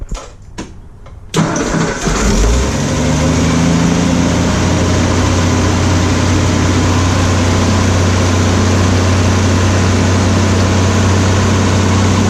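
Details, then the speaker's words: Ford F100 truck after an engine failure, with a new Pertronix Ignitor and Flamethrower coil, timing not yet set: brief cranking, then it catches and settles into a steady, even idle with no knocks or misses. Healthy; the only visible leak is at the rear main rope seal. "I think it sounds really good I don't have see anything leaking other than by the rear main seal"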